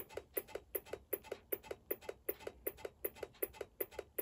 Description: These are the issues that I was originally having with my 1986 Apple Macintosh Plus 1MB - no video output, no boot "bong", and a consistent "ticking" noise on startup that sounded like the internal power supply was going into self-protection.